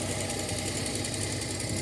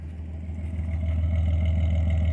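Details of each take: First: Datsun 280ZX with sudden bad miss, random misfire on one cylinder audible in exhaust, owner suspects coil or ignition control module, no vacuum leak hissing heard; cold lumpy, uneven idle that stumbles now and then. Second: Datsun 280ZX after new fuel filter and new fuel injector, fixing a bad misfire: nearly warmed up, steady smooth low idle with no stumble or skip, rising slightly; running cleanly.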